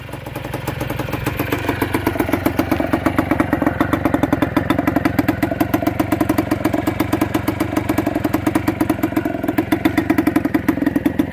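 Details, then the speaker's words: Kawasaki KDE90 two-stroke, a KE100-based bike built from spare parts with a 1980s KE100 carburetor, CDI and oil injection, first start: fast, even idle putter with a sharp, rattly crackle from the pipe; exhaust still needs fixing. "to fix the exhaust so we have we're going to be doing a whole video on basically fixing all the little problems with this bike"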